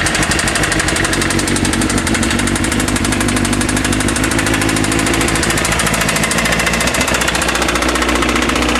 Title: Suzuki GSXR750 with severe rod knock.